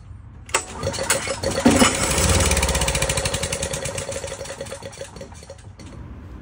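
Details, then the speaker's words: Discarded Wacker 5600 watt generator with Honda engine, carburetor loose and fuel line ripped out, borrowed Predator pull start: after a pull it fires on starting fluid, runs briefly with even firing that fades and stops; fuel-starved. "okay we got it to to run for a second"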